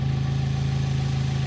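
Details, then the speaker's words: Small Korean-made sedan running on good engine oil before the olive-oil test, a couple of revs: low, even idle with a steady pulse and no knocks or misses; normal idle. "as you can see this thing runs like an absolute champ it seriously does it runs great"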